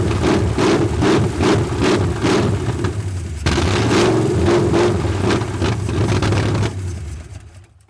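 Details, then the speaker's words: 1981 Mustang 5.0 V8, carbureted, parked since 1996, after a carb backfire: engine catches and runs rough for several seconds then dies; fuel pump suspected dry from sitting, later found not pulling fuel. "But if it has been sitting since like 96, like that guy said, the fuel pump could be dry."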